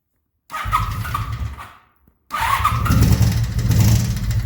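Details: 1983 Honda Magna 750 V45 before repair: two starts, then uneven, chattering idle with a light, fast tick over the rumble; ticking from a broken valve adjustment screw that required a new cylinder head.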